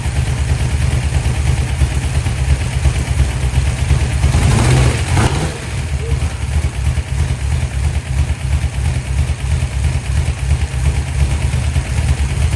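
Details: 1972 Dodge D100 V8, first start after solid roller cam and Speedmaster 265cc head swap, timing not yet set. Deep uneven lope with a brief rev midway, firing beat stumbling and irregular: rough running, cause not pinned down.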